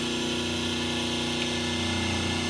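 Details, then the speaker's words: 5 hp three-phase motor on single-phase 220 V, balanced with three 36 µF/250 V run capacitors plus start capacitor: even soft hum, steady pitch, no growl; line voltages 208, 207, 207 V, near perfect balance. "Now the engine sounds softer, already we have three capacitors and a capiacitor of start"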